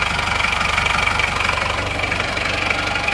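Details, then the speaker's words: Isuzu Panther 2.3 diesel, warm idle after new NPR liners and piston rings: hard sharp clatter on every firing stroke, diesel knock from injection pump timing still too advanced; fix by loosening pump bolts and retarding timing. "Cuma ini timing boskom masih terlalu maju. Bisa kita mundurkan dikit."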